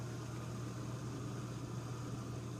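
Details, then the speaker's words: Miele dishwasher that kept draining with no cycle selected, after unsticking the stuck-open one-way valve; cycle 3 started, drain pump runs normally at cycle start; low steady hum, no grinding or surging. "So the drain always turns on normally at the beginning of a cycle, but it should only run for about a minute."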